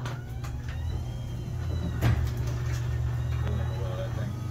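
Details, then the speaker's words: Overhead Door 591 garage opener on an 8550RGD, already oiled: steady low motor hum under faint thin squeaks as the door travels; running but dry and struggling, wants more lubrication. "Sounds like she's struggling, bud. It's a little hot in the head."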